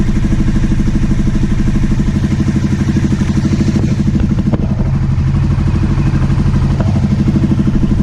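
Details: 2009 Aprilia Shiver SL750 after replacing both air pressure sensors in the airbox to cure idle jumping up and down: steady, even idle with a regular low thump about three pulses a second, no surging; normal idle.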